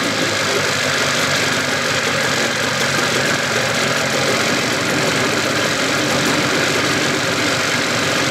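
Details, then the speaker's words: 1981 Evinrude 15 HP outboard, cowl off: steady, even two-stroke idle with no whine, so the earlier whining was in the lower unit; the powerhead sounds good. "sounds good I got my sucker off so you can hear the engine no whining so the winding was in the lower unit motor sounds good real good power heads"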